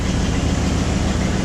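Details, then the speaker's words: Ford Bronco idling after a cold start following about a year unrun, on straight-pipe dual exhausts: a deep, loud, steady rumble with an even firing beat. A healthy engine, loud only from the unsilenced exhaust. "got dual exhaust just straight pipes I don't think of any mufflers on this is that let her sit here and run a little bit so he needs to get everything moving a little [Music] if she's rather loud right now"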